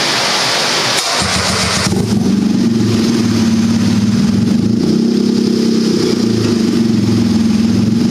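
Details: Turbocharged buggy, ice-cold engine after setting the fuel level lag factor to maximum smoothing: catches after a brief crank and settles into a smooth, steady idle with an even beat; idles better than ever before.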